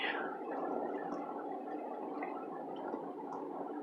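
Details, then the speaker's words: 2014 Hyundai car creeping slowly through flood water: quiet, bubbling motorboat-like gurgle as the exhaust blows through water over the submerged tailpipe. The engine kept running without stalling and took no damage. "Oh the car so pissed off it sounds like a motorboat with good reason because it is"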